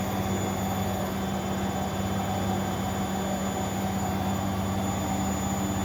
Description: bosch washer spinning properly @nairobirepair